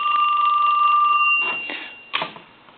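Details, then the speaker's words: Western Electric 2554 mini wall telephone, Harvest Gold, aged, being rung: thin steady double-pitched ring cutting into clatter; bell switch off and loose, ringer needs readjusting with the switch set back on. "his uh his Bell switch is off that's loose so we can't have no setting on his bail i think is bell maybe started taking the bell off we're going to have to get this readjusted to this switch back on"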